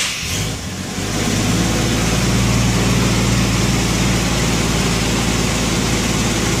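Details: 1990 Jeep Wrangler 4.2L inline-six automatic, just after replacing a tired, intermittently screeching starter with a remanufactured unit: short crank catches quickly into steady, even idle, no screech; owner notes the new starter sounds different overall.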